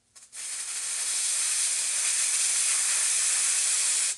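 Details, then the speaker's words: Leak-down test on a Yamaha YZ250F engine after adjusting its five valves: steady high-pitched hiss of escaping air for about four seconds as a slight engine leak is simulated by easing a thumb off the tester outlet. "maintenant je vais simuler une fuite moteur légère en lâchant la pression que j'ai sur mon pouce légèrement"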